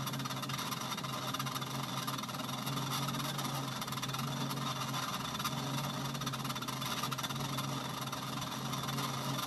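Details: Treadmill that suddenly developed a very tight, crooked belt after sitting unused: constant low hum under a rough, hissy scraping; something rubbing, cause unclear.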